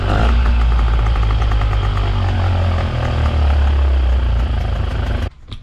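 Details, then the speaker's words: 2005 Honda 20 hp long-shaft outboard after fuel connector hookup, stop button spliced into ignition wiring and fresh gas; fired first pull. Deep, even burble holding steady about five seconds before shutoff, no stumbling or misfires; normal running. "I threw some fresh gas in it and I forgot to record but first pull she fired right up"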